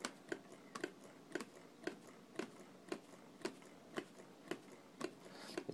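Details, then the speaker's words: Cookie-can Stirling engine with spoon heat sinks: sharp regular clunks, about two a second, as the foam displacer bangs on the bottom of the can each stroke, melting it. "here's you hear that clunk clunk clunk clunk what's happening is this foam displacer is banging"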